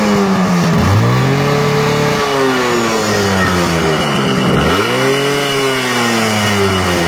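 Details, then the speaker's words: Yamaha RX100 two-stroke before restoration: rises and falls through blips, ragged uneven note on return to idle; condition very bad, engine then fully rebuilt (rings, piston, connecting rod) — worn engine. "তো বন্ধুরা, বাইকের সাউন্ডটা শুনলেন, sound শুনে বুঝতে পারতেছেন বাইকের condition খুবই খারাপ।"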